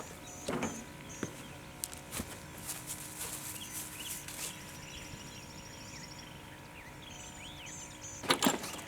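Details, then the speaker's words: Ford skid steer after new ignition switch install, key turned to on before cranking: quiet steady hum under clicks and birdsong as fuel pump primes; fuel pump working. "the first thing I'm gonna do is stick the key in and just turn it so it's in the on position I could hear the fuel pump kicking on that's exciting that was worried the fuel pump wouldn't work"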